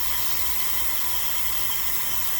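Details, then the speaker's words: T-fal pressure canner depressurizing, gauge near the bottom of the blue: steady, even hiss of steam from the vent, slowing as pressure drops, no sputter or spitting; normal venting. "Alright, you hear the noise is slowing down a little bit. This pressure is slowing down. You can tell from the steam, the sound of the steam."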